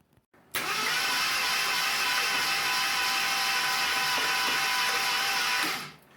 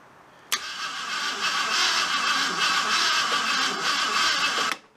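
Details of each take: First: 1975 AMC Matador barn find, sat 30+ years, cranked with all spark plugs out after a new starter solenoid and starter maintenance: steady even starter whir, no compression pulses, clunks or valve train noise; engine rolls over freely. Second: 1975 AMC Matador Oleg Cassini, sat 30+ years, new spark plugs fitted, checking for spark: starter cranks engine at a steady even churn about four seconds, good compression, but won't fire; owner suspects bad distributor cap or ignition box.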